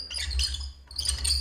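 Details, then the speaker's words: Squeaking in high, thin bursts as a third-party BlueBrixx train car without ball bearings rolls over the LEGO layout; its China-made wheelsets rub on their axles instead of running on ball bearings. "do you hear that squeezing yeah that is how it's uh how the sound is if you move the blue bricks vehicle over your train layout"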